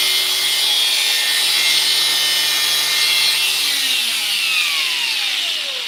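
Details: Makita DGA452 cordless angle grinder, entry-level model: high, even motor whine holds steady then winds down smoothly with no rattle or grind; runs healthy after a tightening, no new motor fitted.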